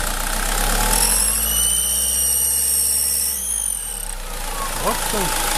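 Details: SsangYong Kyron diesel after rerouting vacuum lines and removing a tee: high thin whistle climbs with revs over the rumble, holds, then drops; turbo whistle, vacuum or air leak suspected, source not found.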